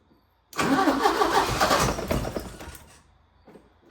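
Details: 1980 Porsche 924 Turbo, probably unstarted 2–3 years, new fuel filter, 2 gallons of 87, a sensor removed, on jump box: catches about two seconds with ragged firing, then dies; owner unsure whether it's getting fuel, no pump buzz heard, unconfirmed.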